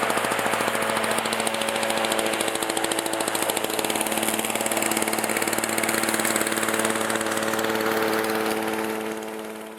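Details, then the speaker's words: 1987 Briggs & Stratton 2-stroke 4 hp Super Bagger 21-inch mower: slow, even popping idle holding steady about ten seconds, no knock or rattle; normal healthy two-stroke idle. "i really do like the sound of it as well and being a briggs and stratton two-stroke that really is something"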